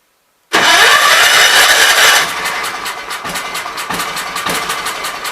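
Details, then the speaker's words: Kohler K241 single-cylinder engine, likely off a Gravely 810, first revival after mixture screws set to three turns and flooding: catches with a loud burst, then steady, even idle thump, not really smoking. "guys i'm happy with that guys we have to sit there and run it wasn't really smoking or nothing noise"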